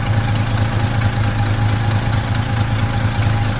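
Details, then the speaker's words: 1972 Chevy C10 pickup small-block V8 after new distributor, coolant filled, engine still cold: steady, even low idle thump with no ticking or knocking; sounds healthy. "But I really don't hear anything bad."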